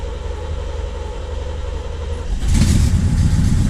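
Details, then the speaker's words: 1979 C3 Corvette V8 with new battery, first start in a while after interior work: strong even cranking about two seconds, then fires and settles into deep steady run; healthy start. "Alright, let's crank it over. We should have enough power now. Oh yeah."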